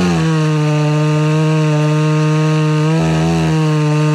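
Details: Homelite Super XL-925 82cc vintage two-stroke chainsaw, governor blocked off, dull chain with shallow rakers: steady high hard buzz dipping briefly then recovering; too lean on low-speed circuit, richened about a quarter turn.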